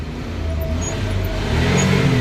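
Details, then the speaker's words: Maruti Omni with belt squeal under headlight load, headlights now switched off and engine revved: smooth rising drone with no squeal or chirp; normal revving without belt squeal. "अब जैसे headlight बंद करूंगा ना बंद हो जाएगी अवाज देखना आप ये हेडलाइट बंद अब रेस दे नहीं आ रही"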